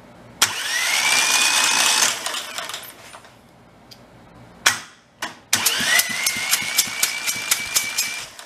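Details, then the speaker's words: Rebuilt Kohler Command 20 hp engine, previously killed by a thrown rod or flood, spun on its starter from a jumper pack: whine climbs quickly and holds an even pitch with light clicks; engine turns freely with no drag. "you think it's starter or the jumper pack engine turns fine I think somebody forgot to plug in the jumper pack try that again"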